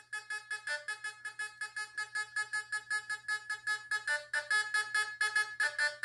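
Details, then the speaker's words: Fisher F44 metal detector air test in Custom mode with user-set tones, gold target: bright beeps about two and a half a second as the target is swept; clean strong gold response, seemingly more sensitive than All Metal mode. "gets gold really really well"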